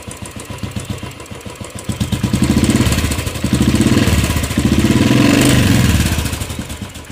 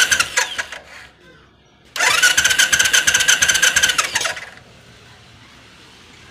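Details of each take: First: Royal Enfield Classic 500 BS3 EFI with a starting problem, after the stuck relay was freed with a light tap: single-cylinder thump at a steady idle, swelling smoothly through a few gentle blips and settling back; normal idle. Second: Royal Enfield Classic 500 BS3 EFI, fine a week earlier; starter spins about two seconds but it never fires, no fuel pump buzz when the switch is cycled, no current reaching the pump; crank no start, fuel pump not running.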